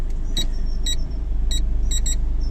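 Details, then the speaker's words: High-mileage six-owner Nissan Note automatic, odometer about 160,457, at idle going through the gears: short high beeps about twice a second. The parking sensor is working normally. "parking sensor's working."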